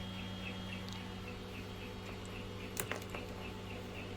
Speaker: That noise is the fan inside the 12-volt transformer in there, I think.